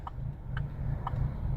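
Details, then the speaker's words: 2009 Chevy Colorado at idle in gear, tachometer needle bouncing, truck rocking: low uneven rumble with a steady clicking about twice a second. Very rough idle, found to be a bad cam phaser (code P0017), not the sensors replaced earlier. "it is bouncing around it it's a very rough idle"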